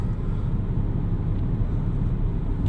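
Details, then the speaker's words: 2000-2006 Lincoln LS test drive after replacing the driver's side rear press-in wheel bearing: steady low road rumble at speed, no growl or hum; the noise that started around 40 mph is gone. "Now it is going to have an alignment, but all that wheel bearing noise is gone."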